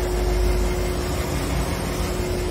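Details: Three-door commercial refrigerator condenser fan after replacing the worn micromotor (it had been starting slow) and aligning the blades to stop vibration: steady low hum with a clean tone, no rattle or blade tick; fan running smooth and balanced.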